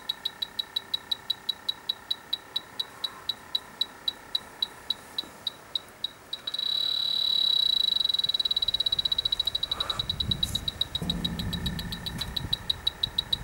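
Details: Dry air generator that lost its refrigerant, electronic leak detector at the evaporator coil: rapid high-pitched beeping at about three or four a second breaks into a steady shrill tone, with wind behind. The detector is alarming on a coil leak.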